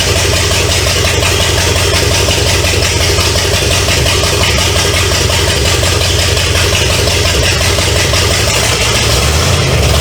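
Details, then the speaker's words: 1970 Pontiac LeMans with Pontiac 350 V8, abandoned for decades, first start, running without coolant through open exhaust: loud raw idle with even steady beat and no knocking, until it ran out of gas; normal idle. "well sounds pretty good"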